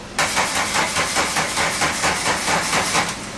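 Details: 1985 VW Cabrio off the road for 17 years; battery was leaking and topped up. Starter churns in uneven pulses, a bit over two a second, for about three seconds with no firing: cranks but won't start.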